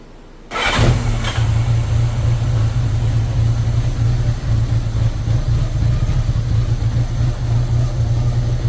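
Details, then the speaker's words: 1983 Honda GL1100 Goldwing, sat 9–10 years, after a carburetor sync and warm at operating temperature. It catches within a split second and settles to a smooth, even idle of about 950 rpm; normal start and idle. "now yeah that sounds really good let right down back to 950 where it needs to"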